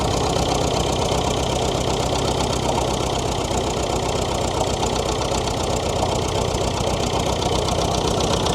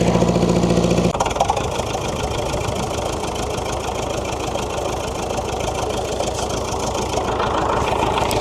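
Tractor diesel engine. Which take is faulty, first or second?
second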